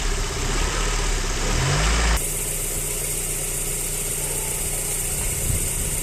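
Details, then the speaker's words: Running engine with the idle air control valve unplugged, a two-coil stepper solenoid with 8.9 mm travel in 214 steps: uneven idle, and a quick throttle blip rises lazily then sags back, responding very slowly; sluggish throttle response from the disconnected idle air control valve. "cuando está funcionando el vehículo y la desconectamos Al momento de acelerar como que lo hace muy lento no responde"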